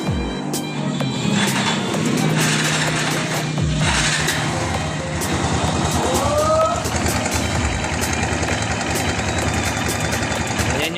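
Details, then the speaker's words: Barako 2 motorcycle single-cylinder idle after carb repair: light, quick metallic rattle, noisy engine; slack cam chain from worn tensioner, which fades when revved and will be replaced. "So yung tunog na yan, tensioner no? Magpapalit tayo ng tensioner no."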